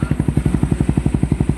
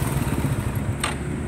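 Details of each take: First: Even, regular idle thumps around four a second, then revs up cleanly and drops back without knocks or rattles; overhauled engine with upgraded block, sound check sounds healthy. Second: Motorcycle whose rod and parts were all replaced and cylinder head fixed, yet still noisy: short burst of loud, heavy low-pitched engine pulsing with clatter; cause not yet found.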